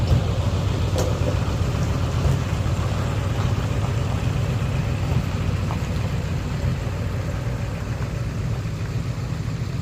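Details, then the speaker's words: Ford 7.3 Powerstroke diesel after replacing suspected bad crankshaft position (CPS) sensor for cutting out/no start: steady low idle clatter, no stumbles or cut-outs over ten seconds; normal idle after fix. "Well, been running for about 10 minutes. It's a good sign."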